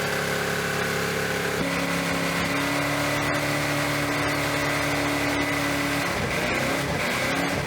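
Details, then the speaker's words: Off-road Dodge Dart engine run deliberately with its oil drained and the throttle zip-tied at high revs, after an earlier knock. The note roughens, then it suddenly dies and smokes from the breather: oil-starvation seizure. "I think she just seized. Yeah, it sounds like it. It just kind of gave the ghost."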